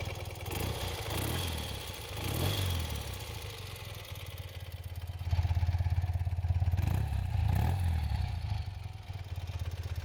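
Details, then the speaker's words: 1973 BMW R75/5 boxer twin idling after a valve adjustment, carb rebuild and sync; heavy flywheel, pitches right when revved. Low, even, unhurried thumping that purrs like a sewing machine, with no knocks; healthy normal idle. "And it just kind of purrs along like a sewing machine"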